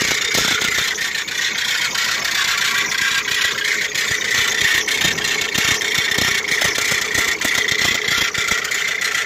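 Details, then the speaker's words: 2009 Ford Mondeo diesel with crank-no-start, low fuel pressure (P0087) and a pump fault, fuel filter full of gold-coloured debris, finally started; harsh high-pitched squeal over rattly idle with rapid chattering from engine bay, owner suspects something seized, unconfirmed. "but there's some horrible squealing coming from there so let's see what that squealing is and I quickly start this again"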